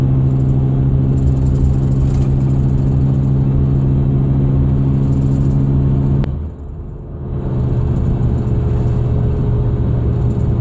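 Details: 2001 Ford Excursion; steady low humming whine over engine rumble, drops away briefly then returns at same pitch; source undiagnosed.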